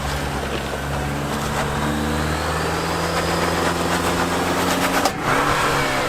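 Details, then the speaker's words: 4th gen Toyota Tacoma TRD Pro during off-road trail test: engine pulling steadily under load, then a sharp crack near five seconds and the drive note drops away; front differential completely blew out. "So the TRD Pro is supposed to be the top of the line Tacoma off-roader, and TFL took their truck out and experienced a major malfunction. The front diff completely blew out."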